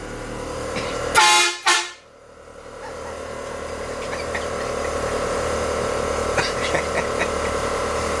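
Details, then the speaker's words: 1966 Chevy truck with air horn and air bags: two loud, steady horn blasts with clean tone and no sputter; air horn and switch working normally, though a small air leak was heard elsewhere. "the horn blows [Music] yeah that sounds pretty cool your sister will like that"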